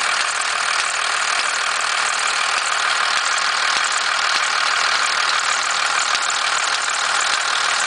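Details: 1991.5 First Gen Cummins 12-valve diesel, cold start at about -10, idle: fast uneven rattle, about three knocks a second over the clatter, with slight squealing; owner cannot pin down the source.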